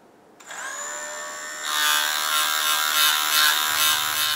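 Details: Frigidaire dishwasher motor with impeller removed: whines up to speed with a harsh fast rattling tick over it, from the solid food waste chopper blade striking the housing; no new parts needed.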